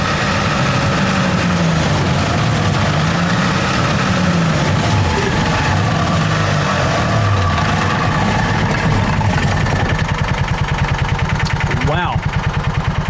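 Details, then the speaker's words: John Deere Gator 4x2 at full throttle with parking brake applied (clutch downshift test): engine labours with wavering drive whine, then rapid rough chatter; harsh clutch noise under load, owner suspects clutch/belt tension issues. "Okay, that was sketchy and I didn't really like how that sounded. I am no expert, but uh that whole ruckus there, it didn't really seem to enjoy that a whole lot."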